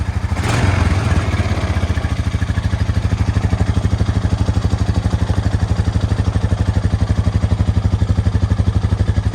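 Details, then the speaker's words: Single-cylinder quad started after solenoid and power-wire repair, with the automatic choke now not kicking on right away when warm: it fires right up into an even thumping idle of about three beats a second with no hunting; normal idle. "And then when I start it, the automatic choke doesn't kick on right away. So it's working."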